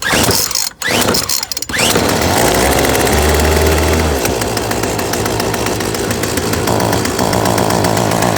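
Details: Yardworks 25cc two-stroke trimmer after carburettor replacement and adjustment, with gas cap tightened so the primer bowl fills: a few pulls, then it settles into a steady buzzy run without stumbling; runs healthy.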